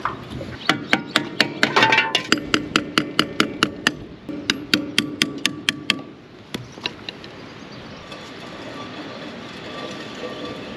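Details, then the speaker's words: Jacked-up wheel hand-spun before topping old bearing grease with 80-90 oil: sharp ticks about twice a second, spacing out as it slows, something catching once per turn; owner says definitely the brake dragging, not the wheel bearing. "know what that noise is? I think is the brake. It's definitely the brake, not the wheel bearing."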